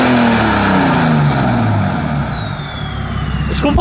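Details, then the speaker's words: BMW 535d E60 diesel with full-tube exhaust: high whistle sweeps down as revs fall, like a jet taking off; normal turbo whine. "Oh putain, on dirait que c'est un avion qui décolle."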